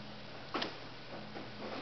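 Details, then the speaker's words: 12 V single-pole double-throw relay on bench power supply, coil energised across pins 86 and 85: single crisp click over a faint low hum as the coil pulls in and contacts switch; normal relay click. "you're going to put your posing polarity the other side of the coil and you can hear that that clicking has to relight switching inside"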